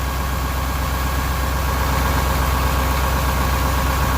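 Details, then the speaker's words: Detroit 8.2L truck idling with a heavy, lumpy, uneven beat, about four pulses a second; it had been run out of fuel and is misfiring, smoking and losing power. Likely cylinder three, possibly more; a faulty injector is suspected, or low compression. "so the likely culprit here is an injector especially with having been previously run out of fuel but it could be a mechanical issue I mean it could be lower compression on that cylinder"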